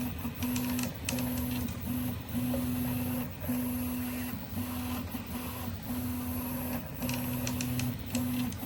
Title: Prusa i3MK3S+ Creaking Sound on right side of horizontal axis only.